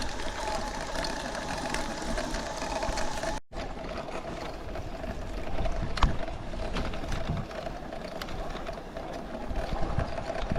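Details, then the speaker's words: Tongsheng TSDZ2B 52V 750W mid-drive e-bike motor pedalled under power on trail: steady mid-pitched whine over road and wind noise, about 3/4 louder than before. It was near-silent until a crash struck the mid-drive on a big rock; exact cause unconfirmed. "Right now you might be able to hear that, not the slow little whir. That's more pronounced now too. So I would say this thing's probably 3/4 louder than what it was originally before I hit that"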